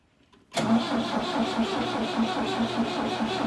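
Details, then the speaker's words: Old diesel tractor, four cylinders, abandoned three years, with fuel line and fuel pump issues: steady cranking at wide-open throttle with injector lines loosened, never catching; air in fuel lines being purged until fuel reaches the injectors. "we're just going to have to crank it until we get fuel so uh if it goes dead we'll have to jump it"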